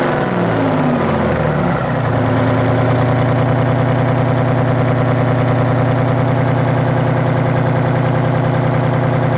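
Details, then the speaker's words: Detroit Diesel 6-71: after a brief rev change it settles into a heavy, lumpy, uneven idle that sounds like it might stall; cause unknown. "sounds like it's dying."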